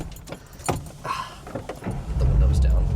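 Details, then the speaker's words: Fastback car just out of the shop after sitting about a month, started before a drive. A few clicks and rattles, then it catches and settles into a deep, steady, even rumble; it starts like a dream, a clean, healthy start. "Oh, starts up like a dream. >> Just needs a little love after it sat for a month or so. Sounds good, eh?"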